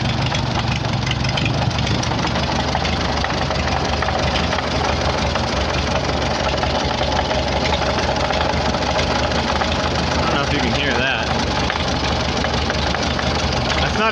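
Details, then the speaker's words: 1944 Farmall H tractor first run after auction purchase, no coolant: loud rough idle with busy clattering, possibly not running on all four cylinders; noise suspected from transmission, unconfirmed; some oil pressure. "oh it ain't great but it's alive it don't sound too bad but boy there's a lot of noise from that transmission"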